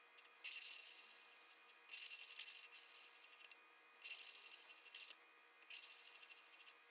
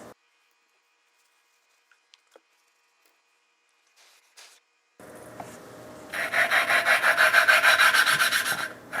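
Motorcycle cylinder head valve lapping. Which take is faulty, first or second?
second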